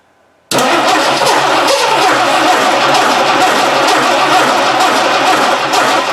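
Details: 1960 Dodge Dart Seneca, newly installed engine, first warm-up idle on old gas after the carburetor stopped leaking. It catches at once, then runs loud and uneven with a lumpy beat and no settled idle. Owner suspects the old gas.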